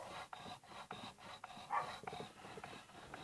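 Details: Kia Pride/Pop steering wheel turned back and forth: a dry scraping rub about every third of a second, caused by dust on the horn plate contact surface; the fix is to clean the area and grease it.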